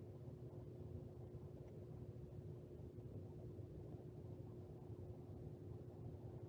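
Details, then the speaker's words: Two Lennox commercial rooftop units: a steady low rumble with a constant hum on top; both inducer motors sound rough and bad, with the cause not pinned down. "as you can hear those two inducer Motors sound pretty bad"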